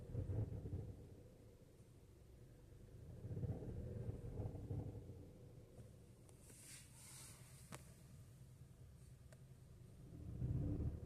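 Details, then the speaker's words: Skoda Octavia 3 with 1.5 TSI and DSG gearbox: a low droning rumble swells and fades around 1000 rpm under light load in gears 1–4, a rubbing resonance that comes and goes briefly. Cause unclear. "Przy około 1000 obrotów jest taki rezonans."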